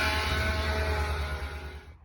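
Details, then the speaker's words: 2020 Ram 1500 5.7 eTorque V8: a steady high whine, turbo-like, rises every time it accelerates and fades as revs drop. The cause is a worn idler pulley bearing, to be fixed by replacing the idler pulley. "Can you hear that? Kind of whiny, and every time I accelerate. Almost sounds like I got a damn turbo on the thing."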